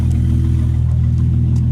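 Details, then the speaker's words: Mercedes SL R230 cold start after rear brake pad change and SBC reactivation, microphone placed close by; deep steady even rumble, no knocks or rattles. Normal cold start. "So I'll tell you what, let's give you an idea what the cold start sounds like on my Mercedes SL."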